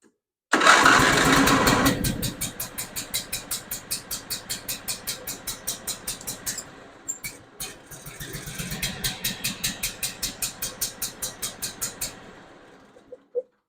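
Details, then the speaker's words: John Deere Z425 zero-turn with twin-cylinder Briggs engine, not choked: slow, lumpy chuffing like an antique tractor, sagging then stalling, seemingly running on one cylinder. Rough running; dies on choke, stuck carburetor float suspected. "hey this thing sounds like an antique tractor when it's running and I got the throttle all the way down it's not even the choke position"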